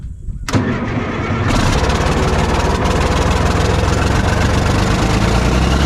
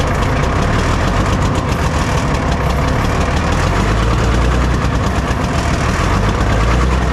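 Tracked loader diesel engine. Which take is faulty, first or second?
second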